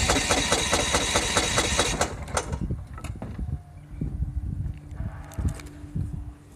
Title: Lawn mower won't start